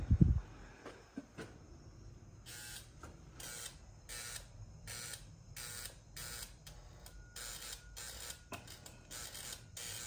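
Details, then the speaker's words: 1984 Harley-Davidson Ironhead Sportster, stored 20 years, engine not locked up, powered by a battery charger: short buzzing bursts about twice a second on each press of the start button, with no cranking; the starter isn't engaging. "I just got a battery charger hooked to it but it's just buzzing when I hit the start button"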